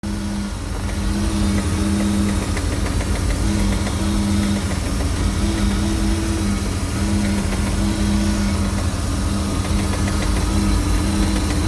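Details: Mercruiser 260 5.7L V8 at idle: rough, lumpy low rumble with a recurring knock-like pulse, heard only at idle and gone as rpm rises; source not yet traced.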